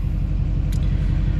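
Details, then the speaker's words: 2007 GMC Sierra LBZ Duramax diesel after a turbo replacement, idling a while with coolant at 131 degrees; steady, even low diesel rumble with a smooth regular pulse and no whistle or miss, a healthy idle. "All right, truck's been sitting here idling for a little while."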